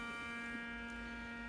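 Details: Fluke 6060B RF signal generator on the bench, modulation off: a loud, steady mains-type buzz of even pitch comes through the audio output while RF is generated; a power supply fault is suspected, not confirmed.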